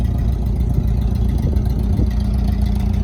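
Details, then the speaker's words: 1990 Mitsubishi Mighty Maxx pickup: low, uneven idle with an irregular stumble every few pulses, like one cylinder dropping out; steady misfire, owner suspects a burnt valve rather than a tune-up issue. "Like I said, I'm starting to think that the misfire is from a burnt valve. I don't think it's tune-up related, which is a shame because this is a good-looking truck."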